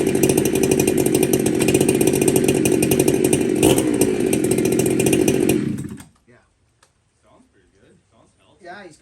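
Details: Chainsaw with dual port Walker muffler, high jet at 3/4 turn, low jet improved: high, even two-stroke scream at steady revs with clean firing, no bogging or four-stroking, then shut off. Normal, healthy running; high jet won't tune, new carb suggested.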